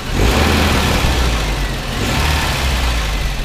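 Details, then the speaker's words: Toyota turbo pickup engine after replacing broken timing chain guides; revs and settles smoothly with no slapping chain rattle as rpm falls, previously caused by timing chain slapping on broken guides. "now you see that is ticking over quite nicely now there's no more of the nasty rattle when the rpms start to decline that there was before and that was because the timing chain was slapping in there the guides were broken"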